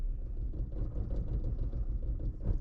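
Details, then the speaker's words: Car with misfire, fuel delivery good, injectors tested one by one at idle: low, uneven idle with irregular stumbling rumble; faulty injector on cylinder 3 causing the misfire. "oh oh so we got a bad one on injector 3 let's go to four yep all right so it looks like it looks like three is going to be our main problem"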